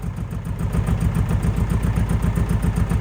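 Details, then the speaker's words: Abandoned 1980s Eagle SS gullwing kit car with a Beetle-like air-cooled engine: an uneven, lumpy beat of about four pulses a second with the throttle lightly held. It runs only with throttle, dies when released, won't idle, and smokes. "Well, it sounded like a beetle, but you know, a working beetle. But as soon as you let off the accelerator, it would die. It had absolutely no desire to idle, and she was quite smoky, but she wasn't on fire, which is good."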